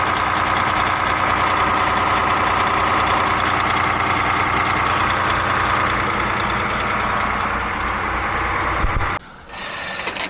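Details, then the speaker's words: DAF MX-13 (2017, 530) with a complaint of ticking around 1000 rpm, revs locked at 1000 during the high-pressure unit pump test on pump 2: dense, sharp metallic clatter like a bag of nails. It won't start on pump unit 1; camshaft follower or unit pump suspected. "Well, that sounded like a bag of nails."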